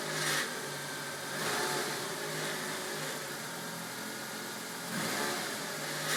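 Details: 2005 Nissan X-Trail 2.0 petrol, 170,000 km, automatic, cold engine: steady metallic rattle over idle, swelling with each rev blip, only when cold; source undetermined.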